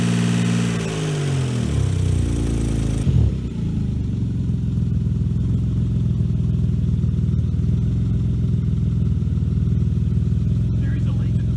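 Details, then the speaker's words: 1995 Saab 900SE with swapped-in V6 after water pump and timing belt replacement; rough startup flare settles into steady even idle, low rumble, no knocks, smelling of coolant with no coolant in it; engine itself judged fine, normal running. "the exhaust seems to be okay there's nothing really anything wrong with it except that Michael owns it it's not a problem with the engine"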